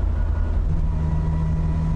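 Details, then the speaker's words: Nissan 200SX (S12) while coasting: a steady mid-pitched howl over road rumble that gets louder with speed. It is rear differential gear whine, not the transmission, and does not affect driving. "that's just on Coast it is howling howling and the faster you go the louder it gets so it's it's definitely uh it's definitely rear end it's definitely differential not transmission"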